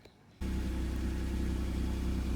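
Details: Acura/Honda NSX after installing a Science of Speed oil relocation kit to fix fluctuating oil pressure: engine fires and holds smooth steady low idle, no ticking, knocking or misses; oil pressure jumps right up.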